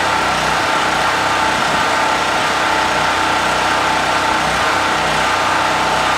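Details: Brand-new Harbor Freight Predator 4375 W (3500 W continuous) generator, first start after choking, in garage: steady even drone at constant speed, no surging, misses or knocks, running healthy.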